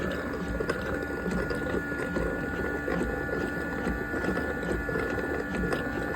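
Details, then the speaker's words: Yedi robot mop's dock, bought at Goodwill, with an AC in the background: a steady low pump hum with gurgling as dirty water is sucked up into the dirty water tank. The dock pump is working normally. "Sucking water up into the dirty water tank up here."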